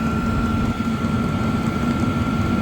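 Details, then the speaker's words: Vevor 8KW diesel heater ramping up to full output, fuel visibly flowing in the line, battery at 13.2 V; even fan whine over steady combustion rumble, no surging or popping, running normally. "Actually, you can see fuel flowing through it too. She's ramping up full tilt, guys."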